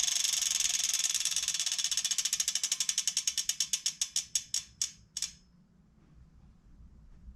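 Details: Bontrager Aeolus Pro 3V wheel with DT Swiss freehub internals on a 2022 Trek Domane SLR7: crisp, even ratchet clicks start fast and slow steadily to a stop as the wheel coasts down; healthy freehub.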